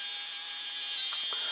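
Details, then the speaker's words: Roco HOe narrow-gauge starter set 31034 diesel model locomotive: thin, high, buzzy whine with a faint rattle as it pulls away; the motor runs noisily and roughly. "fine but it runs very noisily and that's my [Music] video cam doing difficult"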